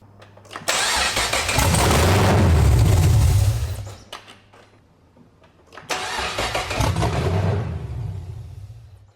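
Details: BMW E46 with LS3 V8 swap, first start after fuel system primed, open headers: very loud V8 fires immediately, lumpy deep beat for a few seconds, cuts off, then restarts cleanly.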